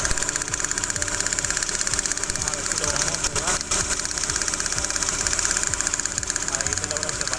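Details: Chevrolet Aveo at idle during misfire diagnosis: uneven idle with rapid ticking over a hissy engine note and an irregular stumble; cylinder misfire, spark and spark plug being checked.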